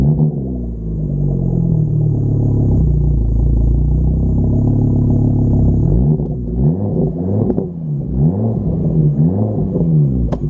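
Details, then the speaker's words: VW Golf R MK6 FSI with exhaust cutout: lumpy uneven idle with ragged small throttle blips, only -5 vacuum and strong fuel smell; misfire at idle. "it is misfiring a little bit it sounds like only negative five of vacuum that doesn't sound right"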